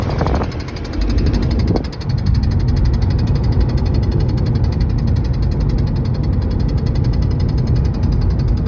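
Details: 2012 Volkswagen Passat, fast even tapping from the dashboard at several beats a second over highway road roar, only around 75 mph, AC on or off; once stopped with cruise control, returned after fuel filter replacement; cause unknown.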